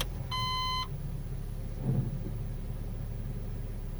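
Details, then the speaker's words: Honda Civic with 432,000 km and a healthy engine mount, started cold and put in reverse: short beep, then a quiet, steady low idle with no rumble or knock; normal cold idle. "I'll start this one up so you can hear what it should sound like we everything's going well okay both engines both cars are cold and I'll stick it in reverse so you can just listen"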